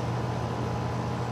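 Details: Outdoor AC condenser running on a no-cooling call where cans were left on the unit; compressor about 7 amps, pressure 105, 71°F day. Steady, even low hum from compressor and fan with no rattles or surging; running normally.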